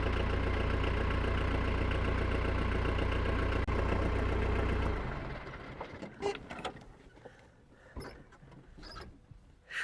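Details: Tractor diesel after battery replacement on a hot day: settles into a steady even idle of about four beats a second, then is shut off; runs cleanly, battery was the only fault.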